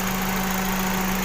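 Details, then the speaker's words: Toyota Vios that overheated when stopped at red lights, after the whole radiator cooling fan motor was replaced: engine idling with the AC off, fan now running on speed 2 (strong). An even, steady hum with no scraping or flutter, which is normal. "พัดลมทำงานแล้วนะครับพัดลมระบายความร้อนสเต็ปสเต็ป2นะครับเบอร์2นะครับตัวนี้มันมันจะพัดแรงนะครับ"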